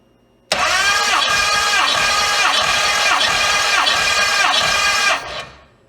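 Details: Hemi V8 during a compression test, gauge in the second plug hole of one cylinder: steady starter churn with even compression beats about twice a second for five seconds, never firing; about 150 psi, within 5-7 psi across all eight cylinders.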